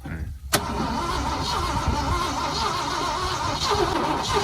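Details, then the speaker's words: 1979 Ford truck with a grenaded V8: a sharp click, then rough, uneven, struggling cranking that never starts; piston heard squeaking against the cylinder walls. "I can hear the piston in there like squeaking against the walls."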